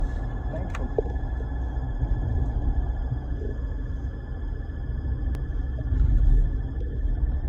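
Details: 2020 Ford Ranger 10R80 automatic transmission: steady high-pitched whine above road rumble while driving.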